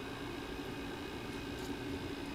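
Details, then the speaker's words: Steady mid-pitched buzz like electrical or fan hum under a rushing hiss, loudest up close at a quartz and stainless tube swirl device; owner suspects the swirl device oscillating in the gap between spinning piece and tube. "almost like electrical hum it's an electric fence yeah electric fan sound okay once you get up close okay it's going really loud now hear it it's gone okay"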